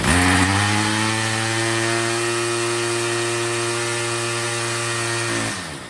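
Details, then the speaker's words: Troy-Bilt TB22 EC weed eater after low-speed carburettor adjustment, with the high-speed screw set by ear for maximum rpm: a steady, high-pitched two-stroke scream at full throttle, running clean and strong. The air filter is still off. "it's running great"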